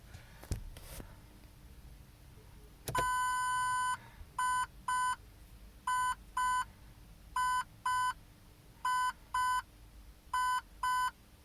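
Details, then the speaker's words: Lexus LS430 with retrofitted OEM parking sensors: one initial beep then five double beeps from the buzzer, while the display flashes on every corner and middle section, indicating faults on the outer and middle sensors. "there we go so did the initial beep and then I think it did five sets of double beeps you can see that it's now showing a parking system and on each corner and each middle section it's flashing which indicates that there's a fault"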